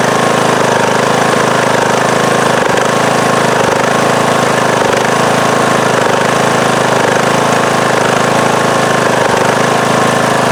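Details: Circa-2010 Craftsman mower, Briggs & Stratton 19.5 hp single-cylinder, after re-gluing loose flywheel magnets, at full throttle: loud steady even running, no crunching or high-pitched vibrating sound; alternator charging about 12.8–12.9 V; normal running.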